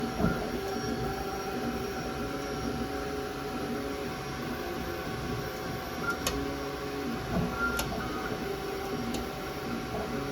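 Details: Creality K1 3D printer under 3 months old, under 15 print hours: steady motor hum with sharp clicks every second or two, clicking constantly.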